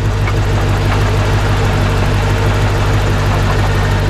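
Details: C4 Corvette, hood open, at a lumpy idle after hard driving: heavy, uneven low knocking about three per second from inside the engine, not a pulley or accessory; no oil leaking; cause unknown.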